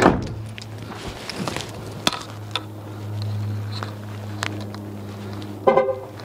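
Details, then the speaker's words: 2016 Dodge Caravan sliding door lock actuator after replacement (before, buzzing on locking): quick clean lock/unlock clicks, low hum behind, horn chirp, no buzzing left; normal actuation. "no more sounds all right unlock all right that's it there you go no more sounds"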